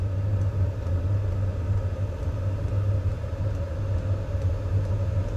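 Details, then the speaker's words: Vevor-type diesel heater converted to run from a carburettor with a primer and throttle, catalytic converter fitted in the exhaust: lights with smoke that then clears, then a steady, even low roar with no surging or popping; burning cleanly, normal. "there's a bunch of smoke coming out oh and it lit it actually lit I can hear it wow I did not expect that"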